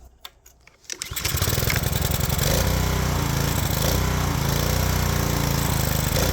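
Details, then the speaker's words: Power washer's small engine, on fresh 89 gas after carb removal and cleaning (it had run only on choke), fires within a second of pulling over and settles into a steady, even run with no stumbling or surging; normal running. "oh yeah oh best day ever oh man this is this is great I mean we took the carb off we did some cleaning and it's ready to go now"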